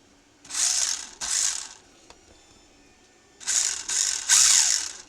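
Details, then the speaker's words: Eachine EAT15 1:16 RC rally car on the bench, throttle blips produce dry, high-pitched ratcheting chatter, louder at the rear differential; owner suspects poor gear mesh, too tight or too loose, with teeth skipping. "it is much more pronounced at this end so I'm going to say that it's possibly a poor mesh maybe too tight maybe too loose and the teeth are are sort of skipping"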